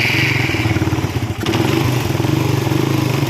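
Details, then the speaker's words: Suzuki Satria FU with vacuum carburettor, refitted after fixing flooding: slow, lumpy single-cylinder idle with a brief stumble, close to dying; idle speed set too low, so the throttle stop screw is raised. "naikkan dulu ya untuk setalan gasnya biar enggak mati"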